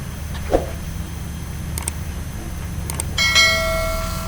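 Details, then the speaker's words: Perkins 1103 diesel after complete overhaul with no manual primer: starter relay output wire removed so each self-start attempt runs the electric fuel pump, giving a quiet hum, light clicks, then a steady motor whine; normal electric fuel pump priming. "you can hear the sound of the motor running it the diesel is priming in our diesel engine"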